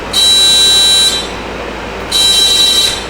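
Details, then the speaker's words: Key-off horn-like harsh buzz on a Suzuki GS450A automatic motorcycle with no engine running, sounding twice for about a second each after the original ignition switch was reconnected; wiring suspected connected backwards, not confirmed. "Is that the horn? What is that? Something's wired up wrong."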